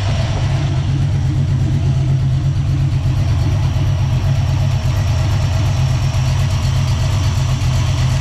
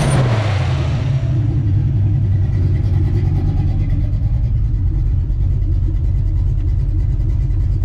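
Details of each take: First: Small-block Ford 306 with GT40P heads, Anderson N41 cam and Holley double pumper, warmed up: lumpy, deep V8 idle sagging as idle mixture screws turned out about half a turn, AFR dropping from 12–13 to steady 11.5; rich idle mixture. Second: Small-block Ford 306, GT40P heads, Anderson N41 cam, Holley double pumper: quick blip settling into deep, choppy, uneven lope, during idle mixture tuning; lopey cammed idle.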